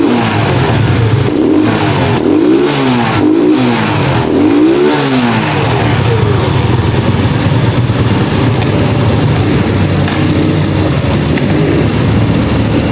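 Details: Pantra-type small single-cylinder motorcycle, formerly very hard starting, after converting to a Lihua 4-pin CDI on a primary-type stator: revs up and down cleanly a few times, then settles into a steady even run with no misfires.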